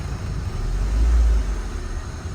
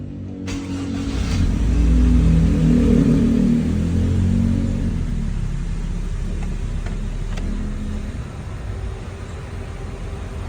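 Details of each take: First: Honda Civic with rough idle when the aircon is on, tested after adjusting the ICV idle screw: low, steady petrol idle with one brief, mild swell in the rumble and no real stumbling. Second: Honda Civic petrol engine with rough idle when the A/C is on: an uneven low rumble swelling and sagging as the idle dips; the IACV was swapped without fixing it and ignition timing read 19° advance.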